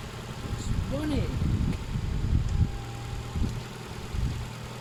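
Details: Ford Fiesta Mk7 1.25 with flood-damaged engine swapped for another: steady low idle with a quick smooth blip up and back down, no knocks or misses; replacement engine running sweet.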